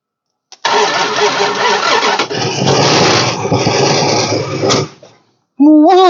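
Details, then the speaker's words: 1969 Imperial LeBaron V8 off the road over 30 years, after refueling: long crank catches into a ragged, wavering roar that dies off, smoky. Rough running after start; owner suspects stuck valves. "woo she's a little smokey they don't sound good probably a stuck valve I'm guessing it's probably got some stuck valves"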